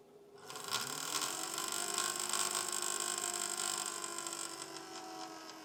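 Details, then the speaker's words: PC that has become noisier than it used to be: on startup a fast buzzing rattle rides over the rising fan hum. The likely cause is a loose wire banging against the fan blades. "now the most likely cause of that noise is a wire that's come loose and is banging against the fan"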